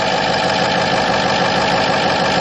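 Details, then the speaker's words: 2006 Ford F-550 4x4, 6.0 L diesel with bulletproofing work, cold, heard at the front: steady, loud but smooth diesel idle clatter with slight turbo boost sound, no misses or knocks; normal diesel idle. "It's really pretty smooth for a diesel. Kind of loud, but that is all diesel. It's got just a little bit of a uh boost to revolution there."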